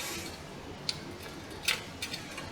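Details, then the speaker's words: Windows 7-era Core i5 laptop on charger: a few sharp irregular ticks with no spin-up hum; hard drive head stuck, drive won't spin up and is dead. "i hear a drive that sounds like a hard drive with a head crash well no not a head crash it sounds like uh like when a head is stuck and won't move yep"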